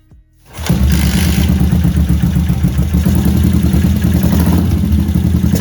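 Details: Yamaha SR500 single, started after a small carburettor problem was fixed, air filter removed, Akrapovic silencer not yet baffled: catches at once and settles into a loud, even thump, no stumbling or flooding. Normal running.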